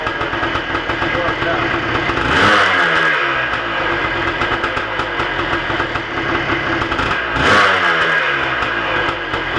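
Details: 1987 Kawasaki KDX200 two-stroke after winter rebuild, not fully stock, chilly Michigan weather, fired on first or second kick: crisp idle with two clean throttle blips rising and falling freely; now starts easily and idles, previously never would.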